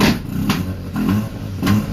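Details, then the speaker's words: Car started after months sitting on old gas, being warmed up: rough pulsing revs with sharp popping crackles about every half second; owner unsure whether exhaust crackle, apex seal or rod problem — cause not confirmed. "Since I got the crackles though. Or was that an apex seal? I don't know. Maybe a rod and dom kind of thing."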